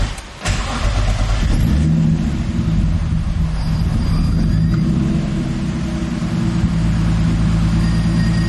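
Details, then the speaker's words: Turbo M50 BMW E30 on standalone ECU without cam sensor, new OE crank sensor fitted: brief crank, catches with a flare, idle wanders up and down before stabilizing; hard start and surging idle, cause unknown. "This thing does not sound happy. I don't know why it's surging so bad. Now it won't start."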